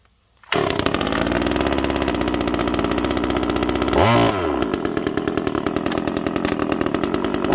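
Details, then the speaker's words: Generic TimberPro 25cc top-handle chainsaw, 10-inch bar, stored three years with little fuel in the tank: fires up and holds a fast, slightly uneven blubbery buzz; chain brake acting odd and it sounds way rich (suspected). Rough, rich-sounding running. "this chain break something's goofy from the beginning on this thing okay but it sounds way rich"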